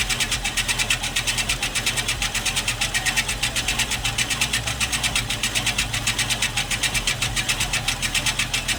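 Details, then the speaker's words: Scotts Classic 20" 5-blade reel mower, electric-converted, reel spun backward with lapping compound against the bedknife: fast, even, gritty scraping during backlapping sharpening. "Now, as you're spinning this, you're going to hear it grinding and then the sound is going to kind of smooth out."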